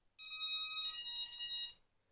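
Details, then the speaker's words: Quadcopter with HobbyKing control board v2.1, four ESCs after throttle calibration via the board (throttle lowered): shrill two-step electronic chime about 1.5 s long, repeating in a loop; cause unknown. "Voilà, et là ça recommence. Et ça fait ça en boucle. Et je sais pas ce que c'est."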